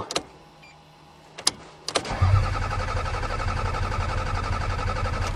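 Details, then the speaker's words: Toyota Camry cold start in snow: a couple of sharp clicks, then the starter cranks steadily for about four seconds without catching, and no fuel pump sound is heard. Crank no start; owner suspects fuel pump failure. "come on come on it's a Toyota I don't hear the fuel pump uh-oh oh no"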